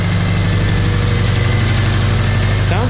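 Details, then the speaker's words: Subaru flat-four junkyard engine, advertised as ticking, first start after a couple months with heads replaced: deep steady idle with faint tick, knocking a little, knock sensor check engine light returned. "I was hoping the ticking us was from the heads unless these heads are ticking too but knock sensor check engine light again and it's knocking a little bit"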